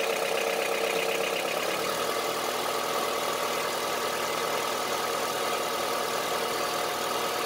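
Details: Honda CR-V III 2.4 engine at idle: steady idle with a dull, uneven, diesel-like knocking under the engine note; engine knock at idle, source unconfirmed.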